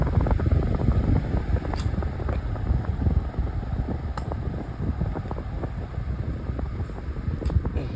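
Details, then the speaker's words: Lasko model 2000 oscillating fan on low speed: steady low whoosh of air with soft even motor drone, no rattle or scraping; strong airflow; normal fan operation. "even on low speed it's extremely it blows a great amount of air I'm just an amazing fan I really do love it"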